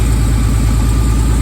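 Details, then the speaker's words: Warmed-up carbureted engine in an S10 hot-rod trash truck, deep steady loping idle rumble with no knocks or ticks; the engine is finished and running healthy, though the carburetor may need tuning for the elevation change at the track. "Alright guys, I don't know if you can hear me, but it's warmed up."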